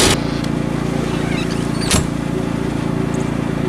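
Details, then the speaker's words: Predator 2000 generator running an RV off grid, secured with a chain and lock: steady hum with a fast, even metallic rattle two to three times a second from the loose security chain vibrating against the unit. "It's secured in with a chain and lock so it doesn't get yoinked while it's out in public. So that'll be the rattling you hear there. Need to fix that at a later point."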